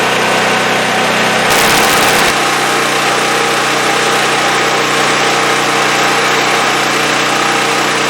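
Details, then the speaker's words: Champion 5500 W generator after overdue maintenance (oil, spark plug, oiled foam air filter, new battery), under electric heater load: steady even drone with constant hum holding speed, no hunting or knocking; running healthy. "So that sounds like it's running good. I'm going to put a load on it now. I had an electric heater here for a load."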